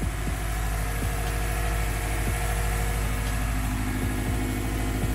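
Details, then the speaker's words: Subaru WRX STI boxer engine after replacing all ignition coils for a misfire: steady low idle burble with no skips or stumbles; misfire gone. "Sounds good. No misses. All right. Listen to that. Sounds like the Subaru rumble again."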